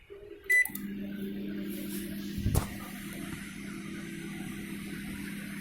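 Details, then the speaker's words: LG MC-7688DP microwave oven, after the noisy fan motor's bushings were greased and rewired: steady low hum with no rattle, scrape or buzz beyond a single door clunk; fan motor now quiet and healthy. "देखा आपने अभी इसका साफ हो गया, आवाज़ बंद हो चुका है।"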